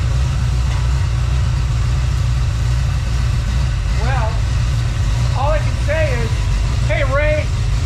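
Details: Freshly built SBC 350 Chevrolet V8 on its first test run, not yet warmed up: steady, even low rumble at idle with no knocks or misses and good throttle response; normal idle.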